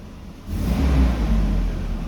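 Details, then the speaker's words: 1988-97 Nissan D21 Hardbody revved after its AC pulley was replaced; a short, clean rev from idle with no chirp or squeal, so the belt and pulley sound healthy. "No squealing. That's what I like to hear. Oh, it sounds good."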